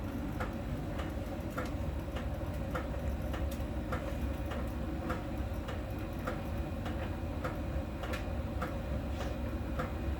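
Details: Miele dryer during drying: a low, steady drum rumble with a light, regular tick once per drum turn. A small ball sensor rolling over the drum ticks at a contact spot on the drum's outer surface; this is harmless, normal ticking.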